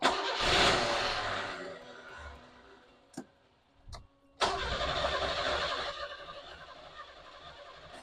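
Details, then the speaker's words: 1989 Isuzu Trooper barn find, engine starting but not staying running. It catches with a brief rev, dies within seconds, fires again and dies. The owner later blames a fueling issue and fits new injectors. "You can hear it start, but it doesn't want to stay on, which is not really ideal."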